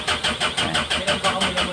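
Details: 2015 Mitsubishi L300 diesel that starts hard every morning: steady, rhythmic cranking at about four strokes a second with no catch or firing; the glow plug indicator goes out quickly but the heaters do not work, so the glow plug wiring and module are checked.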